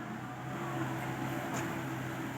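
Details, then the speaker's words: Komatsu PC70-8 excavator after the hydraulic control pack was repaired for stuck hydraulics; it could not swing before and now works: steady, even engine and pump hum with no knocking, squeal or surging; hydraulics running normally. "เมื่อก่อนนี่แตะสวิงไม่ได้เลยครับแต่อุปกรณ์ก็จะเพชเชอร์ค้างโหลดอ้าตอนนี้ก็ถือว่าโอเคแล้วครับ"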